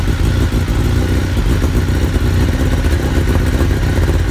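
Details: Suzuki GSXR1000 motorcycle with the tank lifted, started so the idle can be adjusted at the throttle-body screw. It gives a low, slightly uneven idle rumble with a faint clatter and no revving. The idle speed is set too low.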